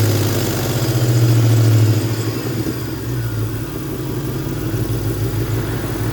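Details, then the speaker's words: 1998 Ford Mustang GT V8 after idle air control valve replacement: revs sag slowly over a second or two to a rough pulsing idle; not fixed, owner suspects throttle position sensor or needs run-in time. "so I honestly thought I would fix it then I heard that they run it like this for a while and that uh it goes away and then they can rev it rev down faster"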